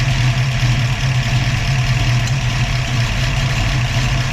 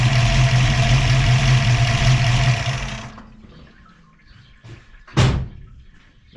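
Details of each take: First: Ford 302 V8 with Autolite 4100/2100 carburetor, A/C on, vacuum disconnected: idle drops and runs low, loping and erratic. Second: Ford 302 V8 with Autolite 4100/2100 carburetor and Bronco idle-up solenoid plus vacuum valve, vacuum line reconnected, A/C on: steady, even raised idle from about 600 rpm, then goes quiet.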